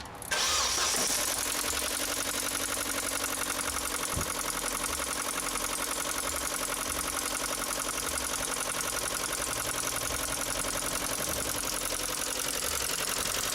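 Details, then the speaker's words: Project car engine at idle: a sharp, quick ticking about four a second, substantial and needing attention. The owner suspects a failed hydraulic lifter, not confirmed. "So as you can hear, that's quite a substantial ticking noise that the car's got. Definitely something that's going to have to be addressed"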